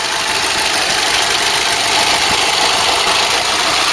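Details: Ford Cortina Mk3 with newly rebuilt 2.0 Pinto engine, first test run without air cleaner: steady, even idle under a loud open intake hiss, no knocks or misses; healthy idle.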